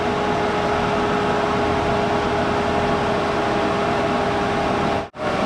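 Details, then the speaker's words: 2004 Arctic Cat 500 TBX ATV, warmed up after an overheating repair (fan switch wiring checked, fuse replaced). A steady, even fan whoosh and hum sit over the idle with no rattle. The radiator fan now runs normally when hot. "So as long as the key's on and it's hot enough for it to need the fan will run. So that issue's fixed."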